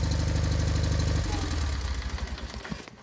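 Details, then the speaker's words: 1988 John Deere 318 lawn tractor, long hard to start, after installing a starter relay switch and new oil pan: fires quickly in an even beat with no misses, spins down smoothly at shutoff; normal running. "let's see if it starts beautiful so quick"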